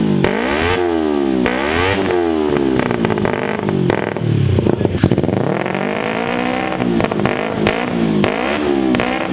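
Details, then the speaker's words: Kawasaki Ninja 250R twin in an offroad shifter kart buggy (Manco Deuce frame) with DG muffler, first start after wiring and fuel lines: crisp blips, revving freely and returning cleanly, no misses or rattles; normal revving. "We ran the fuel lines and it sounds amazing, guys. It revs up so well. It sounds beautiful with the DG pipe."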